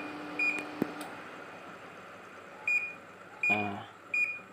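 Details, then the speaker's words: Samsung split AC after installation, remote previously not working: four short clear high beeps over a quiet room as indoor unit acknowledges remote; amps normal, freezing on pipe suggests refrigerant somewhat low. "dan untuk remote itu sudah berhasil ya Nah ini remote bisa berhasil"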